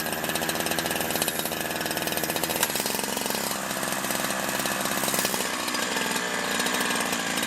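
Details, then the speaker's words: Holzfforma G372 two-stroke chainsaw after crank seal replacement, warmed up a few minutes: buzzes at a fairly steady speed, pitch wavering only slightly, no stumbling or surging; runs consistently and the carb tune has barely changed. "all right so I've let it warm up for a few minutes and it seems to be running pretty consistently um tune hasn't changed that much"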